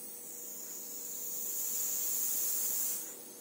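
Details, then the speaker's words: Bicycle inner tube Schrader valve with the cap unscrewed: a thin steady hiss of escaping air from a core damaged by prying with a screwdriver. Only the cap's rubber seal holds the air. "если его скрутить воздух начнет уходить вот сейчас уже слышно воздух выходит"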